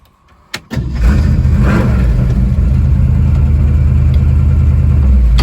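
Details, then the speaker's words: 1967 Shelby GT500 Mustang (real or clone) V8 after valve lash adjustment, passenger-side valves had zero lash: quick crank and catch, then steady even low rumble with no misses or ticking; sounds healthy, not yet test-driven. "I know she sounds healthy now and uh it needs to be test drove to see if it runs is healthy as it sounds"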